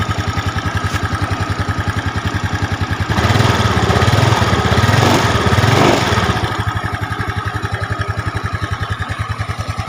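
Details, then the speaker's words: Yamaha Mio Smile scooter engine, valves already adjusted, fairing removed: fast, steady rattling ticks that get louder when revved; worn cam chain, to be replaced with a Honda 90-link cam chain. "seperti ada suara derak, trek, trek, trek, kan? Suara seperti komponen mesin, katup atau rantai kam, tapi mari kita matikan dulu; Kami sudah menyetel klep sebelumnya, dan kami ingin langsung ke intinya: masalah pada motor ini adalah suara rantai kam."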